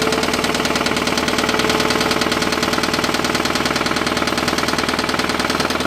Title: mitsubishi mighty max mini truck rod knock